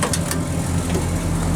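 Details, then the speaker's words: Ford 360 FE V8, Motorcraft 2100 2bbl, after regapping Autolite 45 plugs wider and tuning by vacuum gauge, idling about 600 rpm: short throttle blip over steady even rumble, no misses or rattles; healthy. "sounds. Wow. We're pretty right [Music] on. Looking good."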